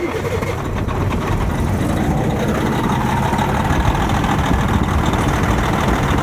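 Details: Detroit Series 60 diesel with a crank-no-start and injector short-to-ground codes: it idles steadily with a slightly uneven beat once the number-two injector is unplugged; injector two shorted, shorting the whole circuit.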